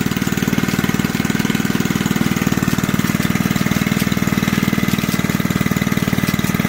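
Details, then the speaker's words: Junkyard Briggs engine on an old reel mower, just revived and running about one third above idle; a fast, even single-cylinder beat with a rattling clatter on top, and the owner blames the old recoil starter. "yeah that old recoil is starting to make a whole bunch of racket gonna make me look bad in front of all the people in front of all my friends and family"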